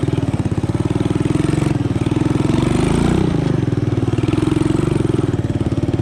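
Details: Honda ATC 200ES single-cylinder, long-dead, just fitted with a cheap Chinese carburetor: pops along quick and even, idling a bit fast; idle speed set too high, air-fuel mixture may need tuning.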